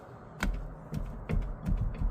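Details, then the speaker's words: BMW E36 328i rear: dull low clunks, five in about two seconds, as the differential is levered with a breaker bar; the previously replaced aftermarket rear diff bushing is shot, letting the differential move. "you can hear the same noise. So it's my rear diff."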